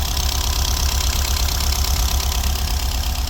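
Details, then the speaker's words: VW Golf V Plus 1.4 TSI turbo, first start after two to three years, following repair of engine damage from a slipped timing chain (valves hit pistons), with a booster: lumpy, irregular idle, seemingly not firing on every cylinder; cause not yet diagnosed. "yes it's on now we can diagnose further but uh yeah it's running it's freaking running"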